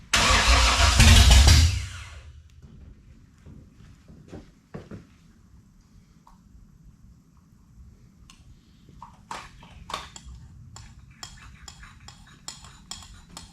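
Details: 1967 Camaro with freshly installed 454 big-block, on first start attempt with carburetor primed but fuel pump apparently not working: fires with a loud roar about two seconds, then cuts out to silence and clicks; suspected fuel starvation, unconfirmed.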